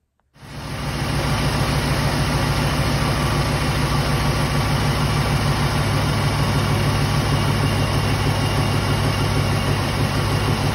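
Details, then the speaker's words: LT4 supercharged V8 at idle after supercharger hubs, coupler and bad bearings were rebuilt: deep steady loping rumble, the earlier whiny noise gone. "so now i'm going to put in a clip right now of what the supercharger sounds like now after the hubs and coupler were rebuilt and take a listen that that that noise the whiny power steering pump noise is gone take a listen"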